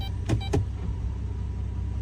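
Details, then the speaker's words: 2011 Chrysler Town and Country 3.6L after adding about a quart of transmission fluid, cycling through the gears at idle: two soft thuds about a quarter second apart as gears engage, no harsh bang. Gentle engagement means the fluid is near the correct level; a hard hit would mean low fluid. "when you're getting close to the right level, you will feel the transmission is just boom. When it's low, it will hit hard, just boom."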